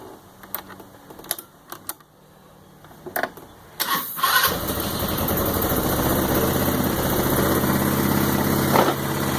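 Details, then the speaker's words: Roketa MC-75-150K Chinese 150cc motor scooter with new battery: a few clicks of handling, then the engine fires at once and settles into a steady, even idle with no misses; normal start and idle. "Let me start it up for you with the new battery. It starts right up."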